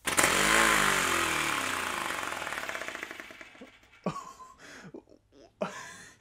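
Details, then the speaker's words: 3D-printed ABS compressed air engine fed from a plastic bottle air tank at about 10 psi, possible slight air leak around the bottle fittings: fast even puffing beats, about four a second, slowly fading as the air supply drops; runs smoothly, normal running. "speechless that actually worked 3d printed compressed air engine"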